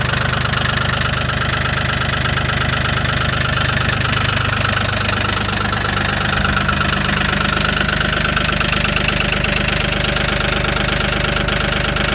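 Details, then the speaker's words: Mahindra 1635 HST cab tractor, 35 hours, cold start at -22°C (wind chill -27°C) after 1.5 hours plugged in: loud hard diesel clatter just under three knocks a second, slightly unsteady; started right up but rough cold idle. "she's cold one it's going to be [Music] tight right started right up runs rough still good"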